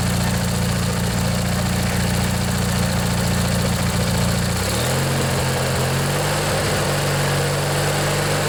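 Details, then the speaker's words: Old Montgomery Ward/MTD riding mower, 16 hp Briggs & Stratton flathead opposed twin, after replacing the worn starter motor. Steady beat at fast idle, then settles to a smooth lower idle, no misses or knocks; slight smoke. Runs normally. "yeah it runs real nice you can see it's kind of smoking a bit but it'll burn out"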